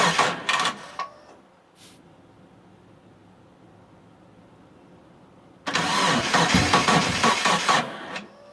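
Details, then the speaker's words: Mitsubishi Eclipse after sitting about 8.5 years, with fuel, spark and timing confirmed and fuses good, on a weak battery; two even bursts of cranking with quiet between, never fires; owner suspects the crankshaft position sensor and plans a vacuum test. "yeah something's [ __ ] up i don't and i don't know what the hell it is um i mean [ __ ] i'm getting fueled getting sparked"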